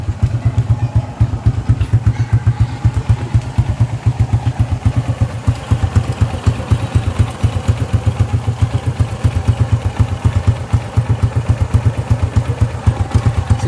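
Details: Honda XRM single-cylinder motorcycle, timing chain tensioner problem in focus: even, regular idle thump with no tapping or rattle on top; engine sounds healthy.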